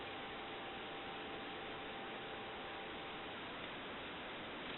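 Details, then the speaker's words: AE Monophone rotary desk telephone with handset lifted on the analyzer: faint steady tone barely above the hiss, far too quiet for a dial tone, because this receiver capsule is nearly shorted; the other capsule plays noticeably louder. "it barely has any dial tone with this one and that's because this one is pretty much almost shorted"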